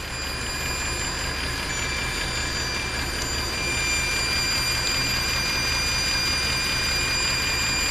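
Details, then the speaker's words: Mercedes ML63 AMG V8 with 175,000 miles and a weak battery: steady idle under a thin, continuous high hiss and whistle whose pitch shifts slightly; a vacuum leak, suspected from a solenoid or an intake gasket. "That is properly annoying. Could be one of these solenoids or an intake gasket. Something in here is making that noise with the vacuum leak."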